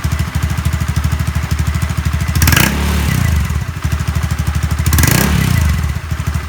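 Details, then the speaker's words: Honda Zoomer-X fuel-injected scooter after replacing the fuel filter and electric fuel pump: even steady idle with two quick clean throttle blips rising and falling smoothly, no stumbling; stalling fixed. "สิ่งที่เราทำกับรถคันนี้คือเราเปลี่ยน2อย่างนะครับเพื่อนๆเปลี่ยนกรองน้ำมันเชื้อเพลิงกรองน้ำมันเบนซินนี่แหละครับแล้วก็เปลี่ยนเจ้าตัวมอเตอร์ปั๊ม"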